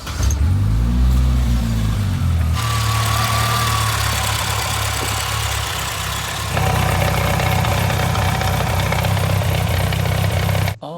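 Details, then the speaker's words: Isuzu/Holden PF50 Gemini with used gearbox, started in neutral: engine idles steadily but a coarse whirring grind rides over it, first mistaken for a broken engine; noise is the worn-out manual gearbox. "so that noise at first I thought was a busted engine cuz Subaru life that's what they sound like when they're broken I can hear a noise the gearbox"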